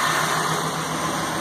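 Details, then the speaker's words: Ford F550 6.8 V10 run briefly with no coolant and belt off; misfire traced to one fouled plug. Smooth, even idle with steady hum, no misses, ticks or knocks: "smooth as glass." "I don't want to run it too god awful long, but she sounds good. That's good enough for me. Heartache and a lot of worry for nothing, for one foul plug. And it's smooth as glass."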